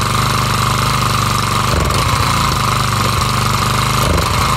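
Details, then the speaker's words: Craftsman 4-stroke trimmer, Briggs & Stratton 34cc engine, after carb replacement, just started cold on choke: rapid buzzy firing with brief dips and stumbles; hesitation due to being cold, runs fine once warmed with no sputtering. "there was a little bit of hesitation at the beginning but again that was just because it was cold"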